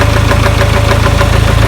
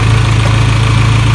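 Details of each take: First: 1996 Geo Tracker, first start after distributor refit, left slightly loose: rapid steady knocking about 3.5 per second over a loud idle, like something rubbing, then the engine shut off; cause unknown. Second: 1996 Geo Tracker after curing no-spark by refitting the old distributor in place of a failed cheap one; steady, even low idle with smooth unbroken hum, no knocks or misses; sounds healthy.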